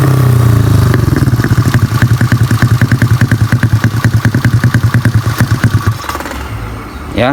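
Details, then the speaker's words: Honda Beat carbureted scooter, 130cc spec, after repair of broken piston ring that caused rough knocking at high RPM; even, clean single-cylinder exhaust beat winding down smoothly, no rough rattle; healthy running. "suaranya sekarang di RPM tinggi enggak bunyi kasar lagi karena permasalahannya dari seharnya yang ya semplak itu ya yang bagian ringnya."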